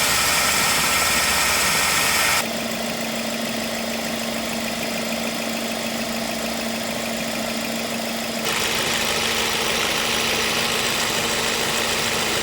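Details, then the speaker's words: Ford Focus, 93,905 km, about 10 years old, idling with AC on, outside 31°C and cabin 23°C, before repair, with oil leaking at the compressor fitting: a steady hum near 220 Hz starts when the AC engages; noisy AC compressor, refrigerant top-up planned. "คันนี้คอมแอร์มีเสียงดังนะครับเดี๋ยวจะได้ลองเติมน้ำยาเพิ่ม"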